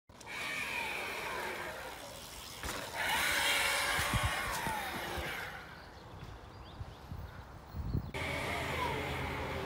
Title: Golden Motor HPM3000 damaged bearing sound